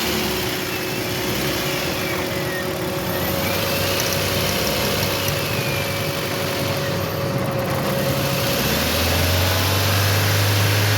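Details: 2017 Toyota Corolla after replacing the shorted ignition coil and a faulty fuse: a steady, even idle with a smooth low hum and no stumble. It is firing cleanly on all cylinders, so the misfire is fixed.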